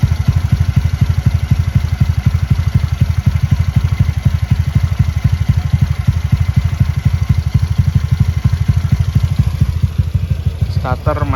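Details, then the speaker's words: Honda Beat bored up to 120cc, freshly rebuilt, camshaft without ADS, compression 12, starter still copes fine, stock injector, ECU not remapped: deep punchy even firing at about four beats a second, no misses. "Poros bubungan ini tanpa ADS, dengan kompresi 12, starter masih aman."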